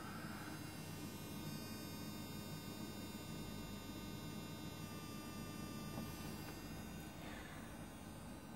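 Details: Enecsys Duo 360-72 microinverter on two 200 W 72-cell solar panels, recorded close up near dusk at low output: quiet steady buzz with fine high whistling over a low hum, abnormal for a transformerless inverter; unit later failed.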